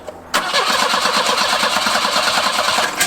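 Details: 1984 Volvo 240 that died on the interstate, injectors checked for 12 V while cranking: even starter cranking about six beats a second for three seconds, never catches; cranks but won't start.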